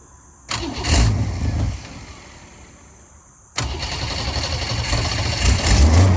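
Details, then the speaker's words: 1965 Ford Falcon cranked after the exhaust manifold was refitted with a new gasket to cure a leak at the head; a brief catch that fades, then a second start at about 3.5 seconds settling into a steady, rising run. "all right we got the manifold back on everything snugged up i'm gonna crank it and we'll see it's any quieter"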